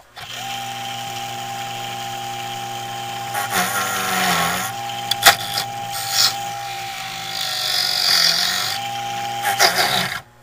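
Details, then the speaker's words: 1980s Black and Decker heater converted to fan, motor on light dimmer: thin steady whine over the fan hum holding pitch as speed changes; owner suspects dry motor bearings needing oil. "it's a whiny motor sounds like I need to oil that motor"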